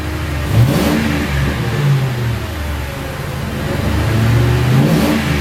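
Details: 2006 Crown Victoria P-71 V8 with stock mufflers internally bored and drilled, resonator defeated, revved stationary: two clean rev blips with a deep, throaty, crisp exhaust note. A little louder, subtle, healthy.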